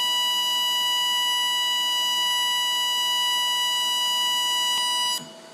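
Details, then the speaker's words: Lincoln Electric Aspect 230 AC/DC TIG welder with pulse frequency set to 1000: a piercing, steady high tone holds about five seconds and then cuts off. This is normal high-frequency arc pulsing, loud enough to need earplugs. "So you can tell how annoying that is. You're definitely going to be wearing earplugs if you're welding with that setting, and you're probably going to make everybody else in the room have to put earplugs on as well."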